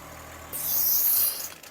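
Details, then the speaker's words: Holden HJ wagon with ongoing brake problems, idling in park: on the second pull of the brake booster vacuum hose, a sharp airy hiss opens for about a second and dies away. Vacuum is confirmed good, so the brake fault lies elsewhere. "now when I pull this hose off it should make a wish noise and if it doesn't make a noise it's not building vacuum so here we go and that's building vacuum so one more time"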